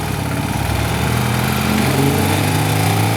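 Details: BMW airhead flat-twin after fitting a high-output alternator, timing light on, idling at the S timing mark: steady, even drone with no misses or knocks; running cleanly.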